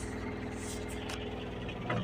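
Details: Mahindra Supro BS6 diesel, started after an SCR/DEF level reset cleared a start-denied DEF dosing malfunction (P2BAF-00, P2BA7-68) with a 50 km limit; injector not yet changed. Soft, steady, even idle with no misses or knocks.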